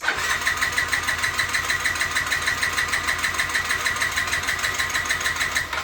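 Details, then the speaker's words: 2007 Yamaha C3 50cc scooter (XF50W), new fuel tank and pump after long storage, fresh fuel added, lithium battery: the starter grinds steadily with about three compression pulses a second and a high whirr but never catches; a fuel delivery issue is suspected. "Not yet. Still no. I don't know how long I can crank on this battery before I run the battery out."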